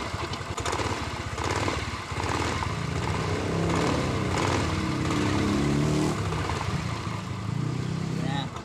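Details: Yamaha Mio i 125 scooter revving smoothly, hum rising and falling with no grinding or whine after its noisy CVT transmission gear bearings were fixed.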